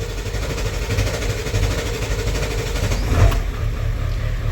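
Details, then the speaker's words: 1994.5 Ford F-350 7.3 Powerstroke after installing 160/00 injectors, restarted cold at about 35°F: deep diesel clatter at a steady idle with slight unevenness; owner suspects air still in the fuel and oil, needing hard running to purge. "Probably still a lot of air in the fuel and oil, so she's gonna be a little finicky on this one."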